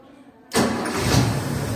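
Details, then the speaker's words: Chevrolet 292 with electronic-ignition distributor, started right after installing an Equus tachometer wired to the coil negative: quiet, then it catches abruptly and settles straight into a steady, even idle with no stumble; clean normal start, tach reads correctly. "Ahí arrancó. Y nuestro tacómetro ya queda funcionando correctamente."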